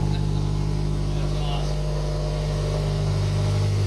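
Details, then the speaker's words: Scion FR-S with rebuilt engine at first start after installation, engine at zero miles at 92,844 odometer miles: smooth even idle, steady low hum, no ticks or knocks, running healthy. "here we go so close [Laughter] yes and it sounds good heck yeah"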